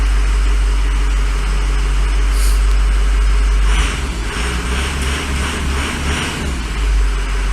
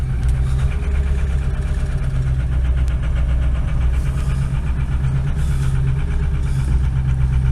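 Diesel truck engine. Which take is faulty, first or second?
second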